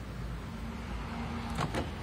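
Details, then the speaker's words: Daihatsu remote alarm switched to silent mode (ignition cycled ACC-on three times, dashboard LED lit): two quick door-lock thunks, no chirp or horn, no turn-signal flash; silent lock/unlock working. "ini sudah bisa lock unlock dengan atau tanpa bunyi beep ataupun lampu sen nyala."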